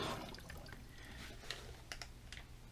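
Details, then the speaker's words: Toilet after replacing the broken fill valve, tank refilling: near-silent with a few faint drips and clicks, no steady hiss from the fill valve, hissing issue over. "Oh, hear that? Our issue with the hissing is over."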